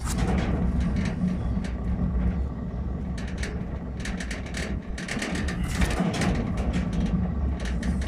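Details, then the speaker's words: Trailer wheel spun by hand: a steady low rough rumble with gritty scraping, while the other wheel is silent; the hub bearings are worn out and need replacing. "ça grogne ça fait du bruit les roulements sont morts et fou à changer"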